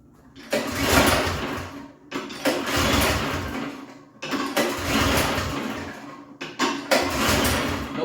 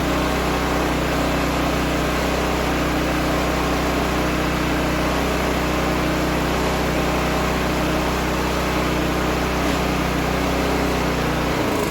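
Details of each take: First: Toro snow blower gasoline engine after long winter storage with fuel in tank: four rope pulls each a short churn dying without firing; cranks but won't start, clogged carburetor float bowl pin hole found as cause. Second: Toro snow blower gasoline engine after carburetor cleaning (clogged from winter storage with fuel in tank), primed and started: steady even hum, no misses or surging, then shut down; running normally.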